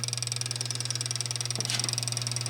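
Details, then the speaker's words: 1948 Gottlieb Olde King Cole pinball machine: steady transformer hum under fast, even light ticking, about a dozen per second, from the line-voltage mechanical bicycle timer counting down normally. "but can you hear a little ticking that is this mechanical timer physically counting"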